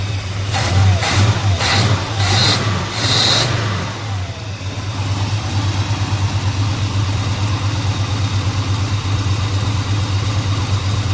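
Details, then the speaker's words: 1987 Chevy Monte Carlo SS 454 V8 after final troubleshooting: a few throttle blips, then a deep, steady, even idle, much smoother; a suspected exhaust leak, and the fuel pump may be tired. "Stay running. Sounds much smoother and happier. Sounds like it has an exhaust leak, but that's okay."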